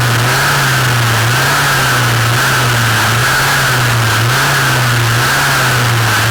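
The two-stroke drones steadily with a wavering low hum and a constant high whine from the shaft; the loud noise's cause is unclear.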